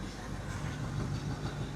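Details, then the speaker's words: 1981 Jeep Wagoneer Limited V8 revived after sitting 20+ years, with antifreeze in it, charging: low even idle rumble with no ticks, knocks or misses; quiet, running smoothly. "Sounds good. Yep, does sound good. Quiet, Yeah. for the most part."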